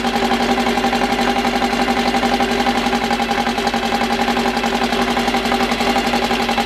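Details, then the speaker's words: First start of a freshly built 2054 flat-four, carburettors needing almost no adjustment, no final exhaust fitted: loud, raspy open exhaust with a steady, even beat, no knocks or misses; engine running well from the first start. "bom a gente deixando agora é a primeira impressão de lado que o barulho é eu acho que o motor funciona muito bem logo de primeira"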